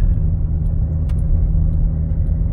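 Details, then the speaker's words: 2016 Buick Enclave, 58,000 km, driving on gravel: steady low wheel-bearing hum under gravel rumble, not tires; worn, corroded front hub bearing, louder turning left, quieter turning right; replaced. "and there's a bit of a hum like a wheel bearing type noise so it's not tires because tires won't make noise on a gravel road"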